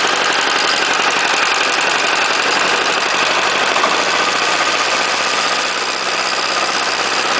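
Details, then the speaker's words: Chinese 418cc single-cylinder diesel, first run, temporarily mounted on a snow thrower at 30°F: hard, rattly clatter on acceleration from low rpm; owner unsure of cause, considers checking valve clearance or break-in. "watch the rattle on acceleration to from a low rpm I'm sure if I really like that but I'm not sure what I can do about it either"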